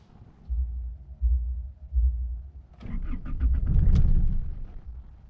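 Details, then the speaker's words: Old-model Isuzu D-Max diesel, hot after driving: slow, uneven cranking that never fires. It starts easily when cold but not when hot; the owner suspects the temperature sensor, SCV valve or rail-end pressure sensor, unconfirmed. "ผมก็ตะกี้ผมขับมานะครับเวลาเครื่องเย็นสตาร์ทติดง่ายนะครับแต่เวลาเครื่องร้อนสตาร์ทไม่ติดนะครับ"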